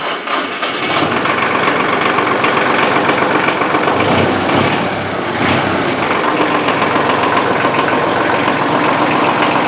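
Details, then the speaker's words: 1994 Ford/New Holland 1715 compact tractor diesel after a frozen-clutch replacement and new tie rod ends: it cranks, catches quickly and settles into a steady, even idle with no knocking or squealing. "we're here looking for things nice and quiet"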